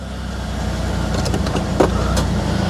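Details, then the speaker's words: 2003 Ford Explorer running after the tripped inertia switch was reset, the fix for its crank-no-start; idling to charge the battery, it catches and settles into a low, even idle that firms up with no misfire; normal idle. "That's all it was. It was just the inertia switch had been tripped. All right, I'm gonna let that run for a minute and charge our battery."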